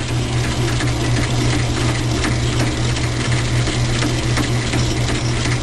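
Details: Logan lathe turning medium carbon steel from a railroad spike: constant rough, ratcheting gear chatter steady with spindle speed. The change-gear idler seizes on its shaft because the keyway gouges the brass bushing; fixed by modifying the half key.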